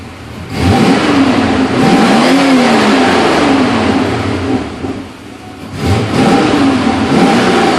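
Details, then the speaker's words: Porsche 928S V8 after tuning and a fuel system clean, transmission shifting smoothly; pulls cleanly through the revs, even note rising and settling without misses or knocks. Running well. "um it sounds it sounds good"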